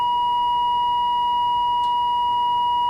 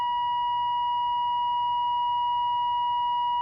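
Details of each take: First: 1946 AWA 509M valve radio during alignment: a pure, steady tone of about one kilohertz holds an even level while a trimmer screw is peaked for maximum and the tuning capacitor is rocked; the alignment improved slightly, having been close to start with. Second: 1946 AWA 509M valve radio during alignment, tuned to 1500 kilocycles with a signal generator at 1500: a steady, clear whistle holds one pitch without drifting or crackling; the set is tuned in and receiving cleanly.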